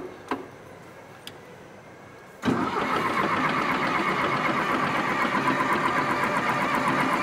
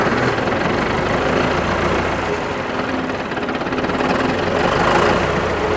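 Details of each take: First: John Deere 450C track loader pulled from the woods after long sitting. Steady cranking for about eight seconds without catching; air in the diesel fuel system, so lines need cracking to bleed it. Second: John Deere 450C track loader diesel, long parked in the woods: steady, even clatter holding speed with no stumbling or misses.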